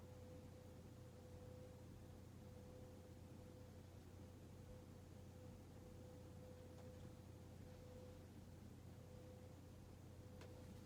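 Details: Hunter Mayfair 52-inch four-blade ceiling fan from 1988, barely used, running on medium: a smooth airy hum with a faint steady tone and no ticking or grinding. The bearings run silent and healthy.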